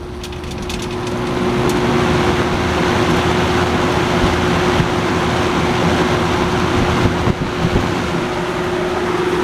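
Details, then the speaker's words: Vintage 20-inch Robeson box fan, model 2306, 3-speed, running on high while lying on its side: steady rushing air, low hum and faint uneven rattle as it shakes a bit; owner suspects the shaking is from lying on its side. "It does shake a bit. That might be because I have it on its side. But it does work."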